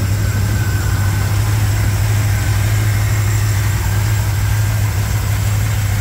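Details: 1987 Chevrolet K10 4x4 truck, first run after blown head gasket replacement, warming up: deep, steady V8 rumble at idle with no misses, taps or knocks, engine settling in; normal healthy idle.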